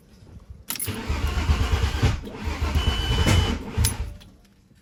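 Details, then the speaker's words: Freshly built VW VR6 engine cranking on a jump after battery died: starter churns unevenly about three times a second for four seconds, never catches; cranks but no start, owner wonders if wires are out of order. "Oof. I don't know. I wonder if it's... I checked my wires. Maybe they're out of order or something."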